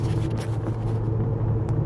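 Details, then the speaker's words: 2011 Cadillac DTS after new brakes and rotors plus a squeal fix, driving: only low road rumble, no squeal or scraping. Before the fix it squealed both on and off the brakes; brakes now quiet. "no squealing now so uh she sounds good"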